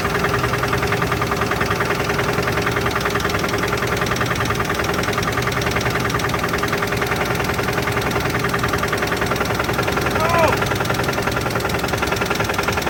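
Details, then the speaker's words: 1983 GMC S15 Jimmy 2.8L V6, unrun 15+ years with passenger valve cover left off, first start: loud fast ticking and knocking at idle, about 200 a minute, over rough running; no oil pressure at lifters, gauge didn't move, possible knock. "didn't sound like it was building oil pressure there's no oil pressure coming up out of these lifters on this side I know the oil pressure gauge just pegged out and it didn't move that sounded like it had a knock too"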